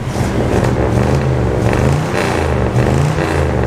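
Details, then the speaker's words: Abandoned Winnebago camper motorhome engine just brought back to life, running on old fuel that badly needs replacing; even low rumble that swells smoothly with no knocks or rough beats, a healthy running engine. "It does have delus. And she sounds good."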